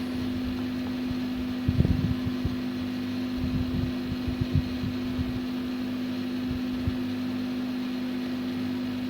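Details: PS3 CECH-3001A after reconnecting the fan jack and powering on: a steady, even fan hum with a few light handling knocks. The 3 beeps and shutdown are gone, but there is still no display.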